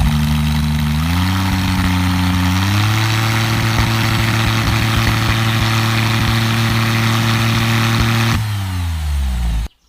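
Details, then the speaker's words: DeLorean with an upgraded engine under full modern engine management and newly installed headers idles smoothly, rises to a steady higher hold, then drops back and shuts off; the exhaust is even, mellow and civilized, and the engine is healthy. "I thought they'd be quite raspy and loud, but they turned out to be quite civilized, and I'm very pleased with the sound they've produced."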